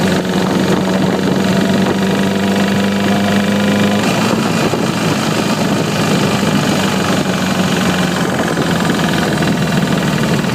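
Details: 2009 Repsol motorcycle at steady idle, light fast ticking over the engine note throughout; it persists after replacing the cam chain tensioner (CCT), source still unknown.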